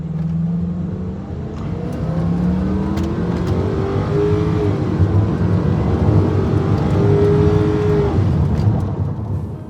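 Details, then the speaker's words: 2002 Ford Thunderbird, Jaguar-design DOHC 3.9 L V8, 252 hp, 3,800 lb, 0-60 mph run; smooth muted pull, pitch climbs evenly, drops at gear change, climbs again, no knocks or misses; normal acceleration. "quick but it's not going to pin you back in the seat and the engine sound is pretty muted I kind of wish you could hear more of it"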